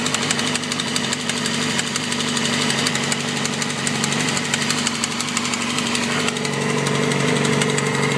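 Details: 2007 Yamaha R6 at idle after stopping at a light, recently had valve adjustment, plugs and oil change: loud sharp ticking about four per second that began quietly and worsened; owner suspects cam chain tensioner or low oil.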